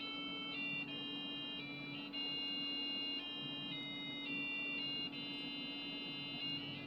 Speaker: The only way it'll work is if I use the PC speaker, and it is so anemic that it's actually funny.